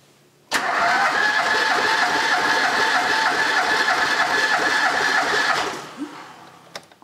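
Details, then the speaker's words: Ford Pinto engine once parked 15 years, compression test on cylinder one after running a while: steady, even cranking about three per second with no stumbles, reading around 12 kg, good compression. "that should be enough and we've got a really good reading of around 12 kilograms which is great"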